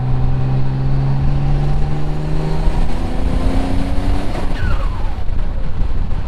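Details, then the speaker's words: Twin-turbo Mitsubishi 3000GT VR4 (6G72, forged build, 15G turbos) with new adjustable Arashi wastegate actuators under hard throttle: the note climbs, then abruptly breaks up. Boost jumped over 15 psi, and the owner suspects fuel cut or a blown coupler. "what's that noise maybe that was fuel cut because I immediately jumped over 15 psi I don't know"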